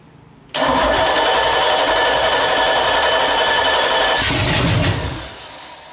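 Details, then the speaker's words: Freshly built 383 stroker on a run stand, first start after loosening tight valves, running open exhaust: cranks briefly, then catches and roars into a loud, steady run with no knocking; a sound first fire. "Oh, that's a good sign. Loud. Extremely loud."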